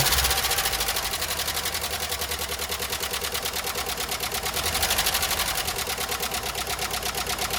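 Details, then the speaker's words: 1993 Jeep Wrangler YJ first start after sitting parked for years, on old oil: rough idle with fast, light top-end ticking about three per second; owner suspects the dry top end needs oil; valvetrain ticking from oil starvation. "Well, it doesn't sound great. I need to put some oil in the top end, I think, but it started up."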